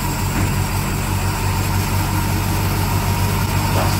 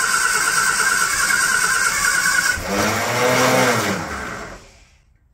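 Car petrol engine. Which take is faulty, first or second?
second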